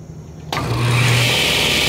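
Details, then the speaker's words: Craftsman 10-inch cast iron table saw after cleaning and white lithium lube of the mechanism: motor spins up to a steady even whine with no grinding or rattle, sounds good; belt is old, has a spot and got some lube on it. "see sounds good let's take a look at the belt"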